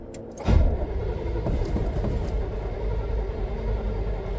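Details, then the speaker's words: First start after installing a DIY dual exhaust with new exhaust manifold gaskets, donut gaskets and mufflers: the starter churns the engine over in a low, pulsing rhythm without firing yet. Cranking, no start. "bet she wants to start she don't even sound like she's hitting yet"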